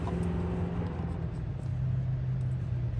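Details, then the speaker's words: 1955 Chevy truck inline six sitting about 30 years, previously seized, number one spark plug deleted, hot-wired without key: low uneven churning as starter cranks with no firing; checking points shows no spark, later found coil good. "no spark really huh that camera Focus there no spark whatsoever"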